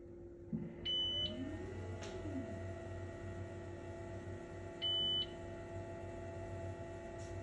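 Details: Brand-new Elegoo Mars 5 Ultra resin printer: faint squeal rising and falling over steady motor hum as the bed lowers, between two beeps. Linear rail and ball screw well lubricated; the rubber-covered spring beside the rail compresses, shifts right and rubs the plastic housing wall.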